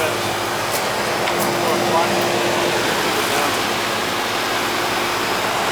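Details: 1972 Gentrol (Ganitrol) AC condenser, outside unit that had not been running, working with new equipment: steady, even fan whoosh with a faint constant hum beneath it, no stalling or buzzing; normal condenser operation.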